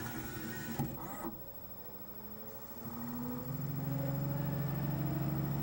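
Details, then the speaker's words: Laserdisc player switching a CAV disc to side B from full 1,800 RPM: the whine winds down, mechanical clicks as the laser moves, then the spin rises again. This is a normal side change that takes a few seconds longer on CAV. "So obviously it takes a lot longer for it to switch on a CAV disc just because the disc is spinning at the full 1,800 RPM when it goes to switch sides."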